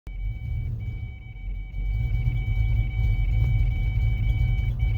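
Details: 1993 Ford Mustang LX 5.0 convertible, 5-speed, at idle with throttle held steady: deep, lumpy, stumbling idle about 2.5 beats a second, missing badly and won't hold idle despite new plugs, wires, distributor and timing set; cause unknown.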